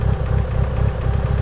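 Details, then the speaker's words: Mitsubishi Evo 8 idling evenly after coolant change, with the auxiliary radiator fan finally switching on after about 20+ minutes while bleeding coolant; steady fan rush over a deep idle, no knocks or misses. "all right people so after like i don't know it probably had been 20 minutes or so probably even more than that uh the fan finally uh turned on oh it's still on you see"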